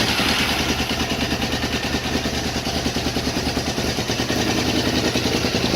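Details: KTM 950 Super Enduro LC8 V-twin, first start after carb rebuild, re-jetting, flexjets, new throttle position sensor and ACV jets changed to cure lean popping, DB killer in Yoshimura pipe; strong even fast idle, clean with no popping. Normal running.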